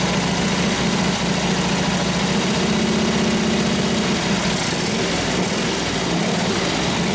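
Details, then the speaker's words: Harley 45ci WL flathead V-twin in a 1932-34 RL frame bobber, choke on, started after about five or six kicks, unrun for years: steady low thumping idle, even and settling right away; idles fine. "it starts up in Idol right off the bat not bad for sitting for six seven years"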